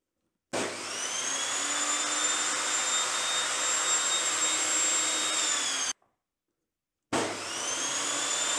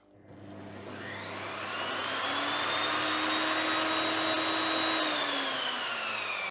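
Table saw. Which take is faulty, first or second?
first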